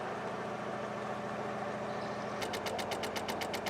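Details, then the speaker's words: Rover 216 Cabriolet off the road since 2013, with a flat battery. Rapid sharp clicking like a teletype is a relay chattering; no immobilizer or central locking response. A larger battery is then fitted to crank it. "he's doing that which i've not heard before like an old-fashioned teletype machine all right so i just stole the rover 2000 battery which about twice the size so that will crank it over"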